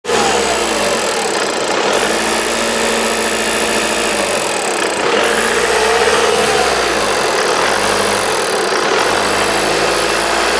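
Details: 2010 (60 plate) VW Passat CC TDI 140 Bluemotion, 65k miles, manual (non-DSG): light tinny higher-pitch rattle over steady diesel idle, absent on a similar DSG car; source unclear, needs checking.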